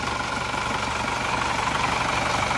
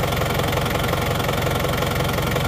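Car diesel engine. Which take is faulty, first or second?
first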